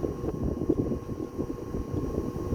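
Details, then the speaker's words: 1936 Westinghouse PowerAire 'Darth Vader' 10-inch single-speed oscillating desk fan, Micarta blades, running pre-restoration: steady fixed-pitch buzz over airflow rush, a sign the motor windings need revarnishing. "really prominent buzz is a telltale sign that it needs revarnishing on the windings."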